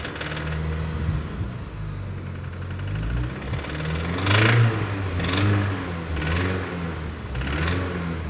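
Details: Mini Cooper S R53: rough mechanical rattle over the engine, louder with each throttle blip; came on suddenly while cruising; knock or rattle of unknown cause, engine failure feared.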